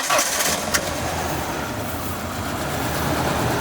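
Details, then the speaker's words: 1998 Ford Ranger, abandoned truck, first start: catches into a lumpy, uneven idle with irregular stumble, apparently missing on two cylinders though spark at all coils tested good; weak power, couldn't climb a hill. "fired up is missing missing on two cylinders we think um check the spark on all the coils they're all good she's running a little rough but she's she's running"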